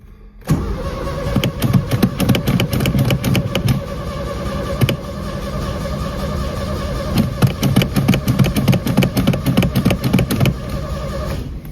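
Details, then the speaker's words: VW Beetle after electrical repair (battery and switch reconnected), carburetor and ignition still being adjusted: the starter cranks steadily for about ten seconds but the engine never catches, even with starting fluid added to the carburetor; the cause is not confirmed. "Still not starting. I added some start gas to the carburetor, but maybe I wasn't fast enough."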